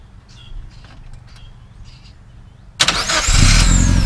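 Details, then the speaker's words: Mazda B2000 pickup that would not start, after repairs and new parts installed: quick crank catches into a smooth, even, steady idle with no misses or knocks; starts and runs healthy. "he's pretty smooth now it fires up so much the nicer now"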